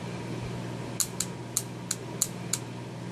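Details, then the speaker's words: Mercedes W220 Airmatic relay bench-tested with a 12 V power supply: seven crisp, sharp clicks at irregular intervals over quiet room hum as the coil energizes each time power is applied; relay working normally. "so when you give it 12vt you should hear that click sound and it sounds something like"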